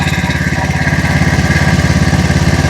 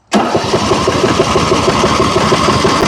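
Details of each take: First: John Deere Z225 zero-turn mower after blown head gasket repair, Nikki carburettor replacement and bad-fuel cleanout, first start: steady even low thump about ten pulses a second, no misses or surging, idling smoothly without smoke. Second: John Deere Z225 zero-turn with a Nikki carb, blown head gasket and bad gas: the small single-cylinder engine catches, runs a rough, uneven beat on choke, then dies as soon as the choke is eased off.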